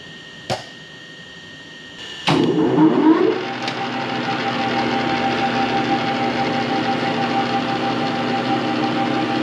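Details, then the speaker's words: Metal lathe reassembled from a box of parts, at its first power-up after cleaning, painting and rewiring: a click and start-up surge, then a smooth, even hum with steady gear whir and no knocks; runs healthy. "That's what I wanted to hear. That sounds good."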